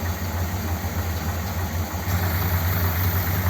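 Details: 1957 Ford Thunderbird V8, mixture screws half a turn out, fan belt slightly loose: deep, steady burble with an even low beat and no stumbles or knocks. A healthy, settled idle.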